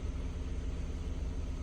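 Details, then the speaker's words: Kia Ceed after the P0172 fix, on fresh petrol, about 20 minutes running, not yet switched to LPG. Low, smooth, even idle. Normal idle. "Ну, хвилин 20 попрацювала на бензині. Вообще ідеально працює."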